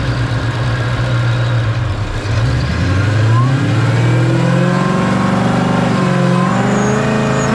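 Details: Ford Fairmont with supercharged Coyote V8 swap on the dyno, ~900 rwhp, after a new Magnafuel 750 return-style, boost-referenced fuel system: a wide-open-throttle pull that climbs smoothly and strongly without stumbling; fuel pressure verified, plenty of fuel.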